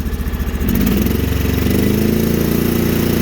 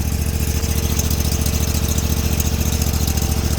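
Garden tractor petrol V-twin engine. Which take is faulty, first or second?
first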